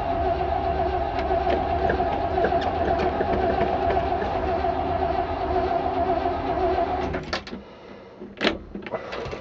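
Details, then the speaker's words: 1968 Chevrolet C-60 farm truck, 327 V8 with a 2-barrel carb and 4-speed, on hand choke: long steady starter drone that never fires; suspected fuel starvation from the carb losing its prime, so gas and ether to be added, cranks but won't start. "well that ain't go work so I'll have to dump some gas down the carburetor actually"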